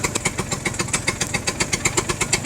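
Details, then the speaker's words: Two-stroke scooter after a ride reaching about 9,500 RPM: crackly idle surging between 1,000 and 2,000 RPM, about 1,200 now, slightly uneven. "The idle's kind of been surging in between 1,000 and 2,000, like right now it's sitting right, I'd call it 1,200 I guess. But if you give it a minute, it might go back down to 1,000."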